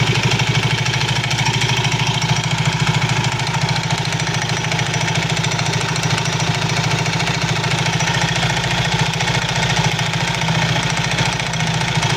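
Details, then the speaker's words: Soul GT 115 scooter at idle with a loose rattling clatter about three times a second from the CVT side; suspected looseness or wear in certain CVT parts, not yet confirmed. "suara kelotok-klotok pada bagian CVT sol GT 115 ini biasanya disebabkan dari kelonggaran-kelonggaran sparep ya kelonggarankaausan pada P tertentu"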